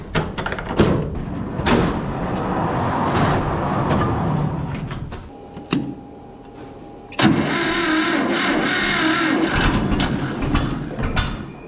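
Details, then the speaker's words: John Deere 530 two-cylinder tractor, not run for a while, cold winter weather, battery known shot: uneven cranking with scattered firing pops, brief stall, then catches and runs roughly with a little throttle; hard starting. "Ho ho ho ho! It's trying. Give it a little bit of throttle."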